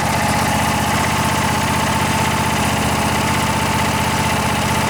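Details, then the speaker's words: Kohler Courage twin-cylinder engine on a Craftsman riding mower, long-stored, after carburettor cleaning and rebuild without replacing the float valve: even, steady chug with no stumbles or hunting; runs smoothly. "runs [Applause] good looks like that carburetor is doing the trick even without uh replacing the float valve"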